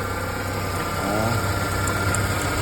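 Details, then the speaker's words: 1993 Ford Ranger 2.3L idling, listened near the lower belt-tensioner pulley: steady high whirring tone over low engine rumble, from a worn tensioner pulley bearing; customer complained of noisy belt. "proviene esta polea que está aquí abajo sobre el tensor de la banda podemos Escuchar más fuerte el sonido como continúan"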